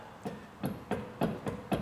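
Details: 2003 Ford Mondeo Mk3, about 17 years old, rear wheel rocked at 6 and 12 o'clock on a jack: sharp knocks every quarter to third of a second, clear free play from a badly worn rear bearing that failed MOT.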